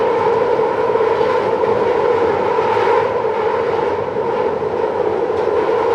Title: London Underground Central line screeching noise (Headphone warning)